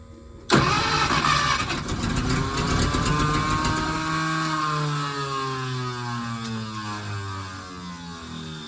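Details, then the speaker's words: 1951 Packard straight-8, 6-volt, sat 30+ years; spark restored after fixing grounded points wire, fuel sprayed into carb: starter cranks with rapid chugging, engine catches briefly then fades; owner unsure if spark drops when starter disengages; crank no start. "It wants it. It wants it. Can't tell if it's losing spark once the starter disengages."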